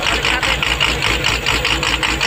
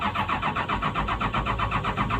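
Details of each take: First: Komatsu PC200-8 excavator common-rail diesel, previously crank no-start from a defective rail pressure sensor giving no rail pressure: now an even, rhythmic idle with steady pulses and a bright clatter, running smoothly. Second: PC200-8 common-rail diesel: even starter cranking at roughly six pulses a second with no firing. Crank, no start, no rail pressure due to a defective common-rail pressure sensor.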